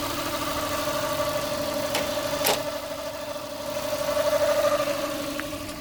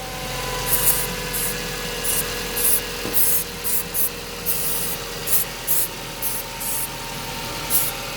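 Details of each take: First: Mazda 323F after the diagnostic ten-port ground was disconnected during a base-idle reset attempt: a low, steady idle of about 600 rpm with no stumbling; idle speed sounds right. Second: Mazda 323F racing idle, worse cold: idle holds steady (just above 1100 rpm) while short spray bursts hit intake points checking for air leaks; revs never rise, suggesting no leak; cause not found.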